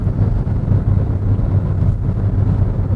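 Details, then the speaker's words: New Renault Clio hybrid at 130 km/h on the motorway: steady deep engine drone at high revs under road rumble as the engine both drives the car and charges the battery; normal engine drone under load. "Se aude zgomotul foarte tare la motor. De ce? Pentru că motorul în momentul ăsta are două funcții."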